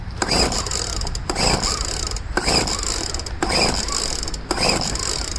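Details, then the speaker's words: Poulan leaf blower, first start after about five months stored with fuel drained, re-choked and primed; five recoil pulls, each a short rasping whirr that never fires; owner suspects flooding, spark plug later found very dry: hard starting, no start. "Should have started by now."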